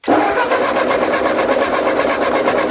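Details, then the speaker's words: Old Ford 2N tractor being rescued, starter likely 6 volt run on 12 volts, cranked before ignition to circulate oil: brisk, even cranking at about five or six compression beats a second with no dragging; turns over nice. "turns over nice"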